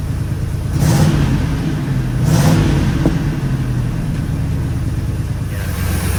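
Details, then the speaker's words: 1986 Oldsmobile Cutlass 442 G-body after exhaust leak repair: two smooth throttle blips over a quiet, even idle, no ticking or puffing, exhaust sealed and engine smooth as a sewing machine. "all right now you can hear how quiet it is it's a lot smoother now see i put my arkansas plates the market's outplays now listen to the engine and sound like a little sewing machine"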